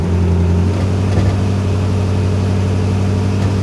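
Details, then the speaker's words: 1994 Chevrolet Corvette with a cold misfire, despite a new distributor, water pump, plug wires, cap, rotor and plugs, during a brake-torque test: a deep, steady idle with a faint uneven stumble. A single-cylinder miss, milder than at the start. "It's like It's not really missing anymore. Yes, it is. That's a single cylinder miss"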